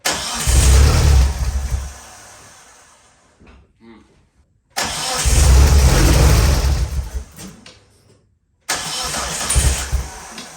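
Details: Race car being prepared for the 2024 season, on a troublesome jump box: three long, even cranking bursts that never fire. The owner suspects timing might be a little off, so it cranks but won't start.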